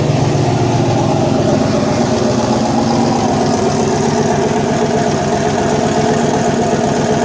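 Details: Fairmont, throttle body, fuel pump not fully wired, first running: steady, even idle with smooth low rumble and no knocks or misses; engine running cleanly.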